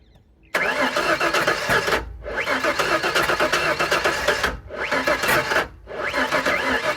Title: 98 ranger no start